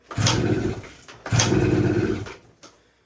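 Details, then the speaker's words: 1980 Suzuki TS185 two-stroke enduro, first start attempt after sitting over 20 years behind a shed: two rough popping bursts about a second each, then dies; catches briefly but won't keep running. "Okay, signs of life, that's good. I can hear it kind of wanting to go."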